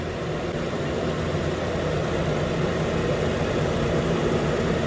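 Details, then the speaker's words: 2013 Nissan Pathfinder, 265k miles, after new AC clutch and serpentine belt; compressor keeps running because cabin is hot: steady even idle with faint compressor hum, clutch engaging cleanly; normal. "the compressor so yeah now the compressor is gonna rotate for a while because the car inside is pretty hot so it's not gonna stop the clutch or not"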